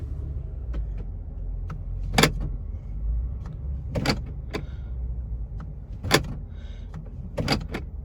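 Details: 6-day-old 2022 Toyota Tundra with 1,100 miles, parked at idle during a 750-mile day: sharp clunks every second or two over the idling engine. The door lock actuator keeps cycling because the door trim binds it.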